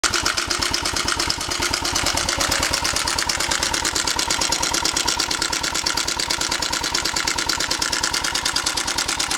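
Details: 1998 Suzuki Savage 650 single at 10,000 miles idling with loud fast metallic top-end clatter from a slack cam chain; tensioner found completely out of its body.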